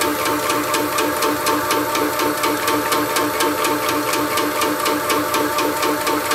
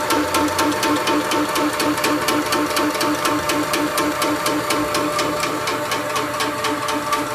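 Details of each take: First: Shoebox air compressor after a belt drive upgrade replacing the 2011 chain drive. Significantly quieter, an even pumping beat about two strokes a second with light clatter and no knocking or squeal: normal running. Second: Shoebox compressor with original 2011 first-generation chain drive, before belt drive upgrade: steady motor hum with a sharp clack about twice a second; noisy chain drive, far louder than the belt upgrade.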